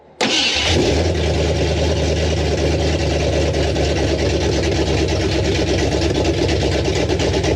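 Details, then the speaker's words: 1973 Ford F250 2WD farm truck with newly installed craigslist 360 FE V8 and Hooker headers, running off a bucket fuel supply: catches on first crank, settles into a loud lumpy open-header rumble, steady idle; it runs. "noise we got it idling and uh there's a couple things we got to clean up but uh yeah it runs"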